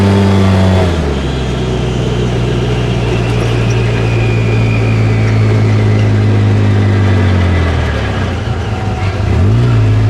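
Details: Polaris RZR engine drone falling off on deceleration with rough whooshing, grinding layer over it, heard intermittently.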